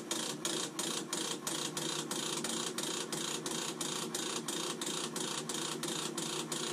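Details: Navien NCB-240 combi boiler making a loud vibration sound, heard on restart in dual venturi test mode, error code 60 following: steady rattling ticks, about three a second, over the fan's hiss; fan vibration noise.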